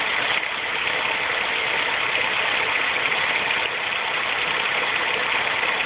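Loud, busy metallic clatter laid over a steady idle, thin and tinny rather than deep; sounds like chain-area rattle, cause unconfirmed.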